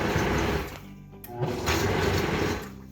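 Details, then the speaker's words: 64-ounce Vitamix blender, previously barely turning and smoking, tested with water after blade assembly replacement: smooth high-speed motor whir holding steady with no grinding or labouring; sounds like new. "Sounds a lot better. It sounds like it did when it was brand new."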